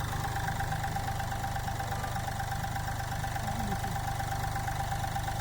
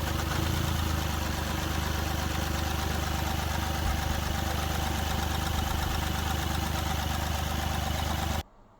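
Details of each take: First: Mahindra Bolero Power Plus diesel, brought in for low pickup, body vibration and missing after engine work: idling with steady, even low thrum and faint constant whine, all cylinders firing. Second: Mahindra Bolero Power Plus diesel at idle with low pickup and whole-body vibration, misfiring since earlier engine work: deep, slightly uneven chug from one misfiring cylinder, from a wrongly set injector opening pressure.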